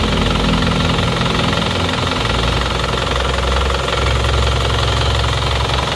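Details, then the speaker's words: Isuzu Panther flat-deck pickup diesel, after repair of blow-by (ngobos) with new piston rings, warm at about 60°C: even, steady idle with soft regular clatter, no knocks or misses; smooth thanks to new piston rings, and no smoke from dipstick or oil filler. "karena ini seernya baru kalau tidak baru biasanya ya seker lama yang sudah aus suaranya itu akan kasar nah ini sudah halus suaranya seperti ini kalau digas"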